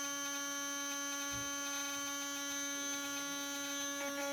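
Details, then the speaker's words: RC brushless motor after bearing replacement, first cold test at 33,000 rpm (not yet warmed up): steady clean high whine with even tones, no grinding or rattle, a lot quieter. "still needs to get warmed up heated up for everything to sit in there but for the first test not so bad that's at 33 000 rpm not bad it's not grinding no more making any noise"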